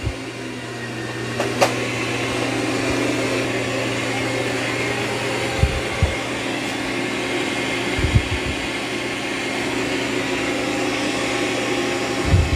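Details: Dreame X40 Ultra robot vacuum (12,000 Pa, highest suction of three) vacuuming carpet after dropping mop pads; steady whirring suction motor with low hum and soft brush thumps at raised power as it boosts suction on carpet; normal.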